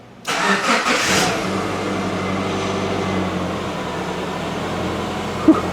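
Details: Subaru with zero-clearance engine, restarted after a broken timing belt bent the valves (reconditioned heads): short crank, catches and settles into a smooth, even idle with no knocking or ticking, slight smoke; normal engine start.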